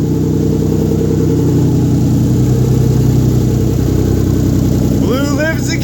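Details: Rebuilt 1997 VR-4 first start-up after rebuild with downpipe not fitted (still needs welding): very loud raw rasping idle, exhaust open right after the turbo; loud exhaust from missing downpipe.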